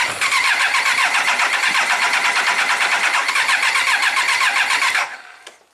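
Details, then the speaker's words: 1999 Triumph Trophy 1200, non-runner for a year, carbs completely full of gas, no choke, battery slow-charged at 2 A, clutch in: steady cranking about four turns a second for five seconds, no cough or catch; flooded engine won't fire. "So the carbs are completely full of gas, no choke. I'm just going to crank it, let the engine breathe a little bit, see if it coughs and sputters."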